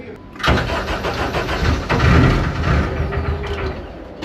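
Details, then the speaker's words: Deep Orange 9 car engine, first start attempt after full rebuild: starter spins, a few ragged firing bursts swell and fade with visible exhaust but it won't keep running; owner thinks it needed more throttle. "oh it was so close I mean technically it ran it combusted like we know that oh I see I see exhaust it's yeah it's it ran yeah"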